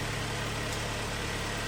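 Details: 2013 car, premium trim, about 140,000 km, first start after engine overhaul with boring: smooth, steady idle with even firing and no knocking or tapping; engine sounds healthy.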